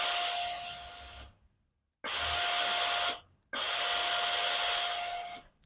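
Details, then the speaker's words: Blue Philips steam iron: each steam press gives a thin steady whistling hiss with weak output instead of a strong jet, pump sounding normal; suspected scale clogging inside, with red deposits seen in the steam channel. "เวลาเรากดไอน้ำทุกครั้งนะครับจะได้ยินเสียงวีดวี๊ดเหมือนเคแบบว่าอยากจะออกมาเต็มที่นะครับแต่ออกไม่ได้นะครับคิดว่าน่าจะเป็นที่ตัวตันนะครับ"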